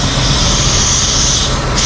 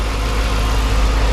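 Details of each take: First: 2007 Dodge Magnum SRT8 6.1 Hemi, running poorly and fouling plugs: steady loud hiss of air sucked in at the pulled dipstick tube, briefly cut off; crankcase vacuum from a blown intake manifold gasket. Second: After intake manifold gasket repair, 2007 Dodge Magnum SRT8 6.1 Hemi V8 idles deep, smooth and steady with no lope, misses or ticking; dipstick vacuum leak gone, computer relearning, never idled this well in five days owned.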